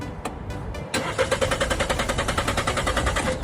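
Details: Used car, crank no start: starter cranks steadily at about three and a half turns per second but never catches, despite earlier new spark plugs, cleaned throttle body and fuel lines, and a new fuel pump; dirty camshaft solenoid valves.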